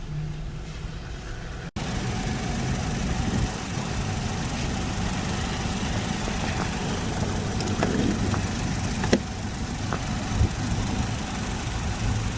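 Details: 2010 Chevy Equinox after fixing a no-start issue (starter relay): engine catches and settles into a steady, even idle with no misses, stumbles or knocks; running normally.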